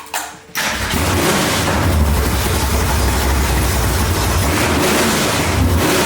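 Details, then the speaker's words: 1965 Mustang with a 331 stroker V8 after the ignition timing was dialed in: a quick crank, then it catches at once and settles into a deep, lumpy, even rumble. It starts cleanly and runs strong. "And since filming it, I've gotten the timing dialed so this thing fires up and runs awesome."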